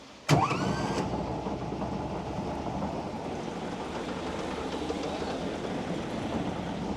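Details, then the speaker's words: WWII Volkswagen Schwimmwagen after carburettor cleaning, new fuel filter and idle mixture adjustment: quick starter whirr, catches at once and settles into a steady even idle with propeller turning; no misses or knocks, runs healthy. "how often do you get to see a propeller running on a swim wagon how good is that save yeah it's pretty cool isn't it she's operational she's operational"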